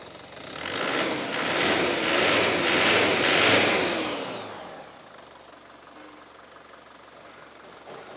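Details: Chevrolet Tavera diesel after a substitute pump was fitted in place of the troublesome lift pump: revs climb smoothly for a couple of seconds, then drop back to a calm idle with no stumble; normal revving.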